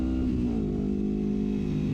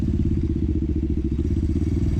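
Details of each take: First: 1973 Honda CL350 with aftermarket exhaust and stock 105 secondary jets, riding at wide open throttle around 7600 rpm in second gear: engine drones flat and strained, unable to climb further; owner suspects lean fuel starvation, later rejetted to 120. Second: 1973 Honda CL350 twin, formerly stalling at 6-7000 rpm from suspected lean condition with aftermarket exhaust; after secondary jets 105 to 120, new intake boots, timing and points: pulls cleanly to full power, smooth climbing revs, no stumble.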